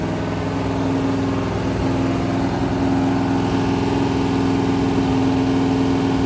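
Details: Rebuilt 426 Gen 2 Hemi crate V8 (new heads, intake, pistons) on run stand, flat-tappet cam break-in, ~15 min in, ~210°F, 50 psi oil: steady fast idle, even crisp beat, no knock or tick; normal high idle.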